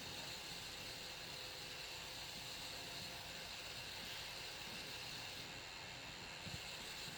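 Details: Alienware Aurora R7, 850W PSU, noise only when the GTX 1080 reference graphics card is under gaming load: thin steady high hiss with faint whine, no rhythm or knocking; odd power supply noise, cause undetermined.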